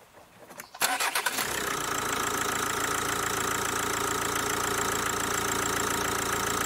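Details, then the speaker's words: Kia Ceed diesel with a Bosch EDC16 engine ECU, test start after an ECU swap with the immobilizer turned off: quick crank, catches at once and settles into a steady, even idle; it runs normally and sounds different because of a different engine map. "Dobra wszystko działa nawet nie wiem czy Słyszeliście ten silnik zaczął zupełnie inaczej pracować dlatego że jest inna mapa silnika"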